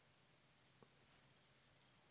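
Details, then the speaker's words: Panasonic TC-381G television powered up on a variac through a lamp limiter, around 150-200V: thin, steady high-pitched whistle over a faint low buzz; power supply straining, fault later traced to the line stage. "Oh, I can hear whistling. So Something's trying."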